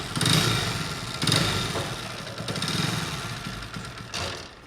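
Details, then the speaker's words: Hero HF Deluxe BS6 motorcycle, kick-started after a faulty previous repair with welded crankcase: idling with loose uneven clatter from piston noise plus excessive kick-start shaft play letting the shaft push out and rattle. "बहुत आवाज़ें आ रही है इसके अंदर, कड़ कड़ कड़ कड़। एक तो पिस्टन की अलग आवाज़ आ रही है। ये जो किक है इसके अंदर जो प्ले है ना, ये वाली प्ले बहुत ज़्यादा है।"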